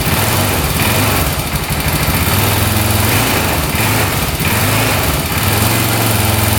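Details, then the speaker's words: 2004 Honda 400EX quad, first start after new spark plug and new carb: rough, uneven single-cylinder run with steady knocking, no smoke, idle won't settle. "So far, no smoke, but it sounds like it's knocking pretty good, doesn't it? Doesn't sound the greatest."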